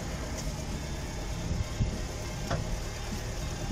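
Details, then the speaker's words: 1971 Citroën DS Super 2.0 litre, 5-speed, hydropneumatic suspension. Steady idle with faint soft clicks as about 70 kg of load goes into the trunk; the body sags, then the suspension corrects the height. Normal idle with suspension self-leveling. "Quand il a une charge, affaissement de la caisse et rectification."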